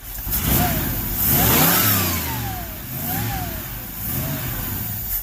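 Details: Ford Ranchero 351 Cleveland V8, first start attempt after 20 years off the road, fuel freshly delivered to an untested carburetor: engine catches with a short rev, sputters unevenly a few seconds and dies; vacuum leak also noted.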